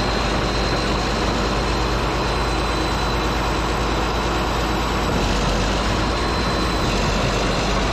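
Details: Caterpillar D8H bulldozer (46A serial, year unknown, No. 28 cable control unit) running after sitting 15+ years, once fuel reached it: heavy diesel settling into a steady, even low rumble, no knocks or misses, running good. Normal diesel idle.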